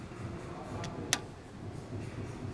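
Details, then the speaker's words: 2007 GMC Sierra 5.3L with P0455 EVAP gross leak, smoke test underneath: two crisp clicks as scan tool commands the EVAP vent solenoid open and closed; solenoid works normally. "I just wanted to show you this vent solenoid right here so this is what's clicking hold that you can hear it right now it's open closed"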